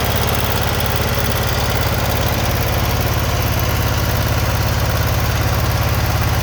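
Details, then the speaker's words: Generac GP15000E generator running after draining stale year-old ethanol 87-octane fuel and refilling fresh; started on choke, steady even chug about two and a half beats per second, no stumbling. "that's what happens she runs i hit start button choked a little bit fired off and ran"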